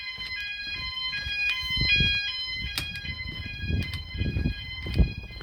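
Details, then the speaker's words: E.M.S. FirePoint 5004 fire alarm system in a house, triggered by a test fire/smoke: several high steady electronic tones pulse and overlap with low handling noise as every sounder responds, working as it should. "that started and then you can hear the other ones have started in the background [Music] all the other Sounders are going off as well [Music] [Music]"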